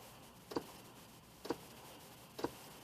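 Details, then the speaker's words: Ford Explorer, key on, heat selected but stuck on AC: three soft sharp clicks about one per second over a quiet hum; failing blend door actuator unable to blend. "click okay that's what the actuator door sounds like because it's not able to blend"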